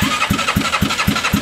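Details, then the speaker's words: Bennche 500 (Hisun) UTV engine with knocking and smoking complaint: even chuffing about four per second, turning over but never catching; no spark because the plug cap was knocked off. "did I knock the spark plug cap off I did I was like what's going on I knocked the spark plug cap off so that might help huh"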